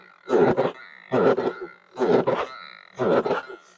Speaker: You hear that like grunting sound? That's completely normal. If we push it, once we get above a certain speed, you won't hear it anymore.